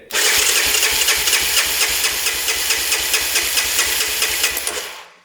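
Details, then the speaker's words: Mint 1987 Honda Big Red 250 three-wheeler abandoned in a barn, cranked with throttle open: even strong single-cylinder cranking puffs with a hissy chuff, compression about 183 with spark present, normal. "I'd say that's pretty good. 150, 60, 70, 80, 183 about. That's awesome. We have compression, we have spark."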